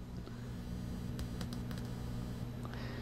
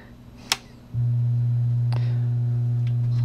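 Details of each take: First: LM1875 amplifier powered up properly after a larger limiter bulb (just clicks, no filament glow): touching the input gives a low steady mains hum with faint clicks, showing the channel works normally. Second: LM1875 bridged amplifier test on a full-wave bridge supply through a variac and bulb limiter: after a click at power-up, a loud steady low hum of supply ripple reaches the output. The cause was a too-small limiter bulb keeping the voltage low.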